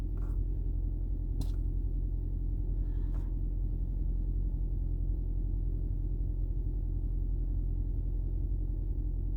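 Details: 2010 Toyota Prius hybrid that had been rattling, shaking and misfiring with no DTCs, after replacing the EGR valve with a new genuine part; low, even rumble holding steady with a couple of light clicks; idling smoothly.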